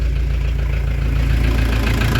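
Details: Diesel camper van after turbo replacement, preheated and started on open exhaust: deep steady idle, no hunting or stalling, low rumble; no extra noise, running normally.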